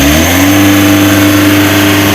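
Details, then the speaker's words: Mitsubishi L300 Euro 4 diesel at just over 4,000 km, weak on climbs: revs rise briefly then flatten at one steady pitch, refusing to rise further; a misadjusted clutch pedal switch caps engine speed at about 3000 rpm. "Oke suara Mesinnya tidak mau Meraung cuman seperti itu aja Harusnya kan bisa gini teman-teman"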